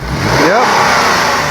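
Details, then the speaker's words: 2008 Dodge Avenger that runs rough and throws codes after the customer's head gasket and timing job, kept running only with the gas pedal held down: an uneven engine note with a rising, wavering whistle as revs swing, from an intake vacuum leak. It runs a little better when brake cleaner is sprayed. "You got to keep your foot on the g on the gas pedal. Let's add some brake lane here. Starts to run a little better."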